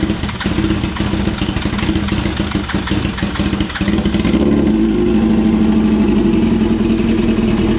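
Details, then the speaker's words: 2004 Yamaha R1 first started after 10 years, cold, with injector spray and spark confirmed. Several seconds of uneven cranking, then it catches into a lumpy, unsteady idle; runs rough, owner says it needs warming up. "She's running. She's a bit rough. She needs to warm up, obviously."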